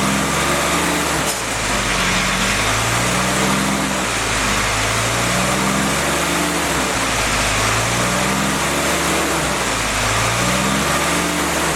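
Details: Freshly rebuilt CJ5 snowblower Jeep F-head four-cylinder, original cam, revs swung up and down in slow even cycles to seat rings: steady run, no knocks or rattles; normal break-in run.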